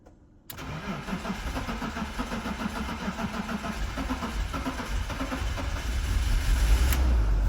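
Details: BMW E36 after fuel pump and fuel line replacement, cold start: the starter churns steadily at about three and a half beats a second for several seconds before the engine finally catches and picks up; extended crank before start.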